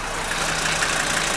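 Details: 1981 Mercedes-Benz W123 300D after replacing glow plug relay blade fuse: steady clattering diesel idle, even beat, no misses or stumbles; healthy idle after fix.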